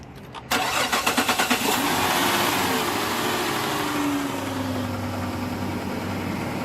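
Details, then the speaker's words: 2010 Chrysler Town and Country after hydrolock repair with new intake manifold gaskets: a few quick cranks, then starts cleanly and settles to a steady, even idle while smoking off water and oil poured in the cylinders. "it runs good as a smoking see they can clear out all the water and oil that I've poured down in the cylinders"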